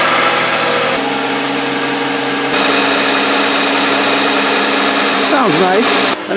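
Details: 2007 Toyota Sienna after water pump replacement, tensioner pulley bearing replacement and belt reinstall, at startup: steady even engine run with smooth belt-driven hum, no squeal or chirp; normal running.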